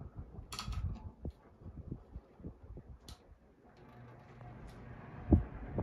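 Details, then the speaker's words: Relite 56-inch industrial ceiling fan, switched to high speed and restarted: irregular light ticks and clicks over a soft low hum as it spins up; a startup tick only this one of four does, cause unclear, recently oiled. "oh there's that sound i was thinking it was here's the sound i was talking about how to make your startup thing"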